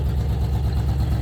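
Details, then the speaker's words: 1966 Jeep Gladiator with a 327 Vigilante V8 on its first road drive in 21 years: a Chinese carburetor cured the earlier misfire, but the idle is a loud, lumpy rumble, blamed on the missing exhaust. "it needs an exhaust it's not misfiring anymore with that with the Chinese carbon there"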